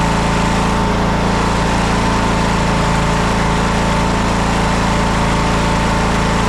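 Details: TroyBilt lawn tractor, long-sitting, restarted with choke and warming up before oil drain: small single engine holds steady, even speed with no hunting or surging, slightly smoky, probably from sitting; normal running.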